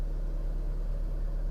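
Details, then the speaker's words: 2010 Hyundai Avega GX after an oil change with routine engine flush and oil filter change: only a low, even hum at a steady pitch with no knocking, ticking or stumble; the idle is smoother, a normal idle. "suaranya jadi agak halus. Ini udah enak sekali, agak halus."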